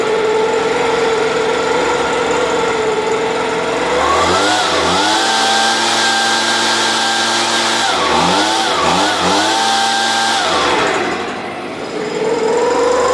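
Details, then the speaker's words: Stihl BG86 blower starting from a flooded condition, metering diaphragm suspected, loose exhaust: revs up unevenly in surges, stumbling and dropping back under throttle; rough running, something else still suspected wrong. "hear the difference when I opened up the throttle that's normally what you do when you have a flooded condition"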